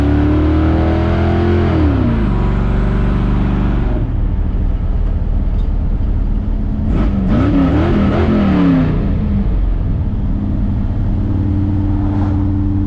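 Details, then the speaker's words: 1957 car with V8 and reinstalled FiTech fuel injection unit after warranty repair: revs rise and fall through blips with slight bog on throttle opening; needs fine tuning. "like a race car even if it's not one that's still a little bog got some fine tuning to do"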